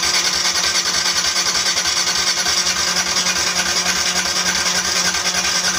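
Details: Motorcycle that dies when throttle is turned, after spark plug reseated: hissy starter whirr with a regular chug about three times a second that never catches; cranks but won't fire, weak spark suspected.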